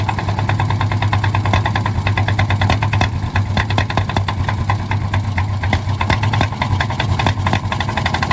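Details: 1951 D8 2U dozer big diesel, sitting in a barn since 1990 and started via a pony motor that preheats its intake: a deep, lumpy chug with sharp, steady firing clatter over a low drone, running on its own normally.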